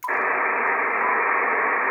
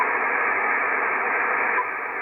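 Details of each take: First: Icom IC-7300, no antenna, audio at maximum: steady even hiss of the receiver's internal noise, which the RF gain control cannot reduce at all. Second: Icom IC-7300, no antenna: steady hiss drops to a quieter level about halfway as preamp 1 is on and IP+ disabled, judged the best lowest-noise setting; clean low receiver noise floor.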